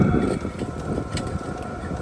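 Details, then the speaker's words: New VEVOR 8 kW diesel heater on a Jackery 240, exhaust muffler removed: steady combustion rumble with a thin constant tone and some wind; running normally, just louder without the muffler. "This is the noise without the muffler. It's really like a white noise."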